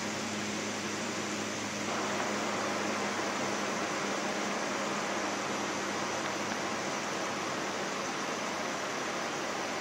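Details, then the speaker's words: Window air conditioner on cool, fan stepped low to medium to high, tested outside a window, earlier rubbing expected to wear off: soft steady airflow hiss rising as fan speeds up, no rattle or grinding; quiet, healthy. "Yeah, this is a pretty quiet unit. And it'd be even quieter if it was in a window and you weren't getting the noise from the outside part of it."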